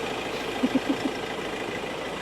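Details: Ford Ranger XLT diesel after cooling system repair (thermostat and water pump) for overheating: a steady idle with an even rumble and a few soft taps early on; temperature no longer rising, normal idle.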